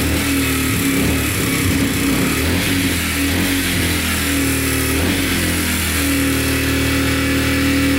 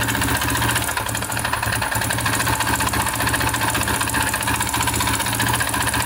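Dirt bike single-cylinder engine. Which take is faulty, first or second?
second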